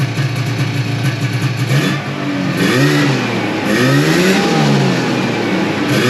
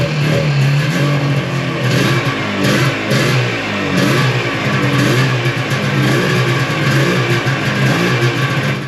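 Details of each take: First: 1995 Yamaha Phazer II two-stroke snowmobile started after sitting five years, on choke, track off the ground; crisp note rising and falling with throttle blips, clean with no misfire or knock; normal running. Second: 1995 Yamaha Phazer 2 two-stroke snowmobile, after five years sitting, runs ragged with revs surging and sagging; fuel starvation, owner unsure whether low fuel in the tank or a dirty carb jet, rear lowered to help fuel pickup.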